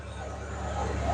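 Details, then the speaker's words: 1990 Ford Bronco, 5.8L 351W V8, after ECU repair and fixing a large vacuum leak: low steady rumble, even beat, no hiss or stumble; normal idle. "But boy, it sounds good idling."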